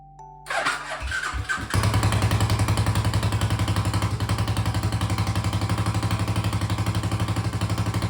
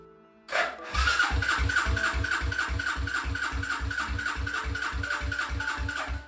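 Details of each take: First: 1995 Suzuki LS650 Savage chopper with a custom straight pipe, first start after cleaning the carb and charging the battery: catches after a few turns, then a very loud, steady thumping single-cylinder idle; runs clean, possibly lean or rich. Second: 1995 Suzuki LS650 Savage chopper, first start attempt with choke on: starter churns in even beats, three to four a second for five seconds, never catching; spark is good, so owner suspects no fuel flow via the vacuum petcock hose.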